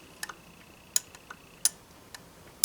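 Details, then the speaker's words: Montgomery Ward Airline 62-425 Indian Head radio with a homemade tape-measure metal dial drive belt: sharp, light irregular ticks as the dial turns. The band slides on the threads of an overlong set screw holding the ring. "oh I see it's the the set screws a little bit long that holds this ring on so it doesn't really push on this tight and when it's coming around on the backside it's just see it doesn't do it every time"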